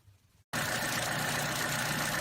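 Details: 2013 Chevy Cruze 1.4 turbo after valve cover/PCV valve replacement for codes P0171 and P1101: steady, even idle hum with no stumbles, surges or hiss. Running smooth; fixed.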